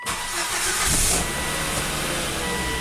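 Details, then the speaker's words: Volvo wagon after crank/no-start repairs, codes cleared: short crank, engine catches quickly and settles into a steady, even idle with no stumble, fuel pressure held at 55 PSI, 50% pump duty cycle; normal start. "excellent so happy at 55 PSI shut her"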